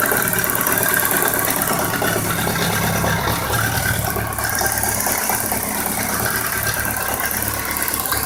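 Idling bike engine with a quick light ticking, roughly two per second, and a dull knock mixed in; cause not yet clear.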